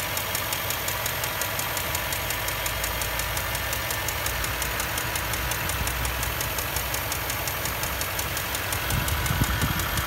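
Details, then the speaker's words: Land Rover Discovery 3 4.4 V8 petrol at idle: light rapid ticking, steady with idle and resembling hydraulic lifter noise. Cause found: a spark plug's inner insulator had separated completely; the ceramic was undamaged. "при откручивании свечей зажигания для осмотра цилиндров был обнаружен что внутренний изолятор полностью изолятора отделился"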